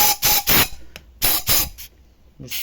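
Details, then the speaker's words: VAZ 2112 1.6 (second generation) misfiring on cylinder 4, head off, leak test with fluid: sharp repeated air-hiss bursts past valve; exhaust valve seats burnt and flattened, intake less so; burnt exhaust valve. "Значить, сідло випускні наші успішно згоріли, розплескані. Впуск, в принципі, також розплесканий, але випуск саме гірше."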